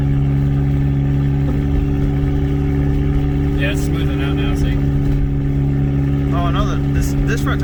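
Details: Turbocharged 2004 Chevrolet Cavalier, untuned, sat four years, on its first drive with the turbo: a steady, even engine note at constant pitch with no misses or stumbles as it settles and runs smoothly.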